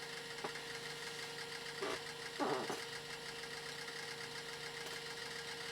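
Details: Original hard drive from an Amstrad PC2286, connected to a more modern PC and being copied for backup: quiet steady whir with short scratchy chirps and clicks as the heads dart about; normal seek noise from a working drive.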